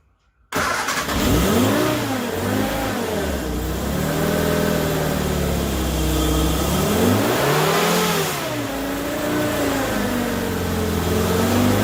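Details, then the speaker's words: Morris Minor 1000 van with newly fitted Judson supercharger, air filter on, good oil pressure: revs swing up and down every second or two, racing or nearly cutting off, never settling. Idle surging from maladjusted idle mixture screw. "so having a hard time getting it to pick a constant speed seems to like either go crazy or cut off"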